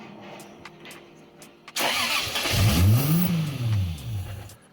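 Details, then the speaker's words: Turbocharged Lexus IS300 build on MaxxECU, first start: short crank, fires right away and settles into steady idle with a brief rise; clean, healthy quick start. ">> That was a quick start."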